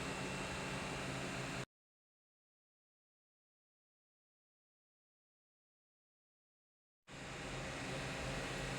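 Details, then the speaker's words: Top-load washing machine after repair, running with load with a steady, even hum and hiss and no rubbing; it had been noisy only under load because the motor's blower fan scraped its casing, so fan clearance was increased. "Okay yan po tinesting po natin. Okay naman po siya. Wala siya ng tunog. Wala na siyang tunog."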